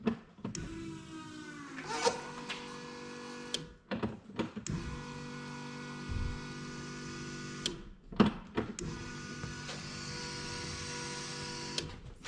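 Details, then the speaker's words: Renault 5 GT Turbo van during rebuild, priming the fuel pump. Short bursts of steady electric whirring, each starting and stopping with a click, no strain or leaks. Normal fuel pump priming. "when I prime it the fuel pressure should build and you should hear the pump labor and maybe you'll leave the bubbling in the tank where the air gets pushed through into the tank"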